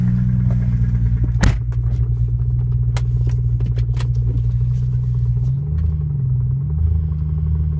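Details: BMW M3 E92 engine at idle: low, heavy rumble with scattered sharp knocking taps over it; source not pinned down yet.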